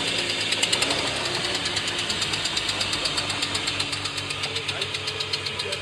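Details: BMW M50 B25 inline-six at idle: steady, sharp metallic ticking knock about four per second from cylinder 1; owner suspects a connecting-rod bearing or cylinder 1 exhaust valves, not confirmed.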